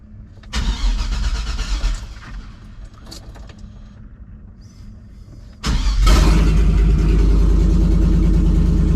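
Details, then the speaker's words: 2006 6.0 LS engine in a donor vehicle with no catalytic converters, dash showing no oil pressure (suspected gauge stepper motor fault), mechanical gauge fitted: short try, then a loud, steady, even idle with no top-end ticking; normal start-up. "Basically because I don't hear any weird ticking or anything come from the top end when I fire the thing off. It doesn't have cats, so it is pretty noisy."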